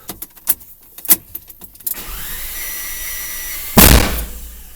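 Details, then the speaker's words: Audi A3 after new fuel line work, earlier codes for airflow meter and fuel pressure regulation; after clatters the starter spins fast and even with no compression pulses, then a bang; no start, plugs 1, 3, 4 wet, 2 dry. "вот это был бабах что он крутит как будто там компрессии нет ладно интересно будем разбираться дальше"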